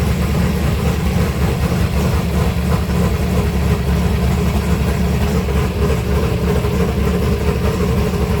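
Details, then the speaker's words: 1964 Ford Fairlane 427 big-block FE V8 with modified dual carburetors, not yet warmed up after restart: deep, steady idle around 800–900 rpm, solid low rumble, no stumble or miss; normal idle. "It's not even warmed up yet. >> It sounds good, though."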